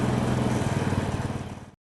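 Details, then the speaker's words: Honda Scoopy automatic scooter after replacing faulty left brake switch cable that prevented electric starting: now starts on electric starter, short burst of quick even single-cylinder putter before clip cuts off; starts and runs normally. "Nah sekarang sudah bisa kita starter"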